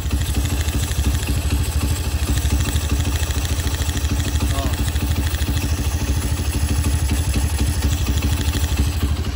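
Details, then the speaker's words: Honda CB motorcycle after an engine rebuild with the cylinder re-honed for a scored piston: even, steady low idle, with a light rattle the owner attributes to the PWK carburetor slide; the engine itself runs smooth. "Tapi mesinnya udah halus ya, mesinnya udah halus, udah aman."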